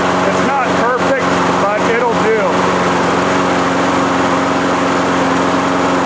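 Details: 1998 Murray mower with previous blade vibration, after priming: steady, even high-pitched buzz at constant speed with no surging or knocking; normal running.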